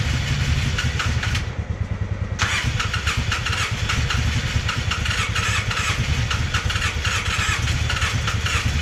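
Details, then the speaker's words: Polaris Sportsman 600 ATV engine: starter churns with uneven, weak compression strokes and the engine half-catches without running; hard starting from very low compression, only 120 psi in one cylinder. "yep unfortunately she's got no compression Wow I don't say no compression she's got 120 pounds in one cylinder which is still obviously not enough"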